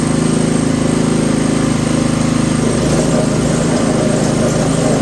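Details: Toro 724 OE (1000 Series) 7 hp, 24-inch snowblower in for service, engine started on choke with fuel on: steady, even small-engine drone at constant speed with no misses or surging; running normally despite intermittent compression loss.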